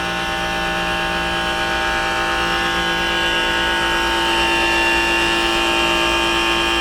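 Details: Trane 3D Scroll compressor in a rooftop pool dehumidifier, about five years old, heard from about 12 feet: steady, loud buzzing hum with ringing tones, far noisier than it should be; worn compressor suspected, not confirmed.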